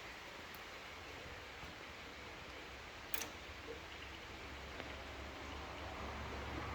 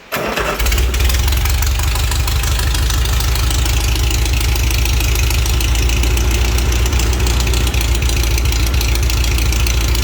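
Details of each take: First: Pre-war Riley Brooklands with the engine off: the SU electric fuel pump ticks about every three seconds. The owner worries this means a slow fuel leak, but none is visible, so the cause is unconfirmed. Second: Pre-war Riley Brooklands engine with carbs flooded, no coolant and straight pipes without a muffler: it catches within a second and settles into a loud, steady, deep idle with an even beat and no knocks. Start and idle are normal.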